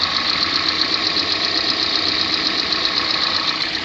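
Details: 2014 Kia Sportage 3 facelift, AWD, 13,000 km: fast, fairly even light ticking about four per second over a steady idle. Engine ticking, source unclear, not confirmed.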